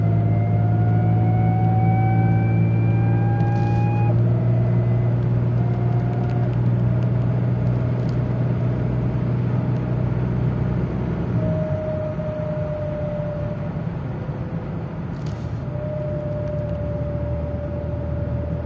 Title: Whining noise from the car/ Wycie samochodu BMW E39 528i